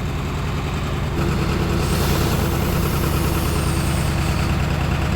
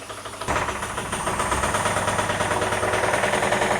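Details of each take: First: 1978 Cadillac DeVille engine, sitting 15+ years, after freeing valves: low, steady idle rumble with even beat, earlier bottom-end knock gone for now; runs cleanly. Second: 1978 Cadillac DeVille engine sitting unrun for about 15 years, no oil pressure gauge: catches and settles into a rough idle with a light steady tapping about three per second, smokes a bit; stuck valve knock, bottom end suspected.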